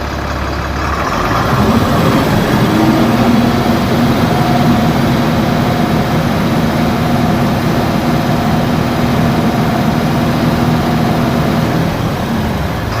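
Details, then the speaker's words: Tata BS4 diesel truck, previously smoking and knocking under load, after replacing faulty speed sensor and speedometer: deep, steady even idle with no knocking or misfire, no smoke; normal diesel idle. "धुआ भी नहीं दे रही है गाड़ी गाड़ी हो गई है बिल्कुल ओके"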